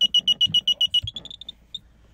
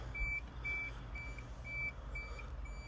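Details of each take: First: 1995 Isuzu Elf Outback Express camper van, switching on the gas system, which works only while the vehicle is stopped: a run of high, sharp beeps, about seven a second, fading and slowing before stopping; a normal gas system alert. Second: 1995 Isuzu Elf Outback Express diesel 4WD camper van, 5-speed manual, 166,804 km: steady high reverse buzzer beeping about twice a second over low idle; reverse alarm working normally.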